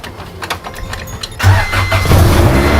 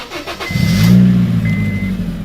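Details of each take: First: Honda Civic with an intermittent stalling problem, shutting off in traffic: the starter cranks about 1.5 s, then the engine catches and settles to a steady idle; it restarts after the stall, cause unknown. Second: Car's first start after fitting a new Amazon muffler with welded exhaust: quick catch, then a smooth, fairly quiet low rumble; starts and runs cleanly and sounds good.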